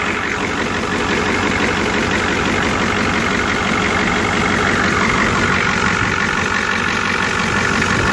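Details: Rebuilt 7.3 International IDI turbo diesel in Ford F350 with aftermarket downpipe, after glow-plug-warmed start: even steady diesel clatter at idle, constant rumble, no misses or uneven beats; settles and runs smoothly, normal.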